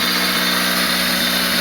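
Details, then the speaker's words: Freshly built D16Z6 engine in a 1991 EF hatch on its first run, with a chipped P28 on a stock tune and a Buddy Club Spec D exhaust. Smooth, even idle set at 950 rpm, no check engine lights and no knocks; healthy. "Runs nice and smooth. No check engine lights, idling right at 950 where I set it."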